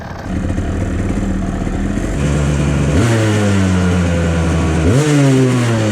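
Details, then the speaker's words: 1997 Kawasaki KDX220 two-stroke dirt bike, customer bike sputtering with poor throttle response; with fuel turned off, idle steps up to a higher, crisper speed as the float bowl empties and it leans out, revving better, showing rich jetting. "You can hear that idling higher at the end there because I turned off the gas. It didn't have as much gas in the float bowl. So, that means it's running leaner."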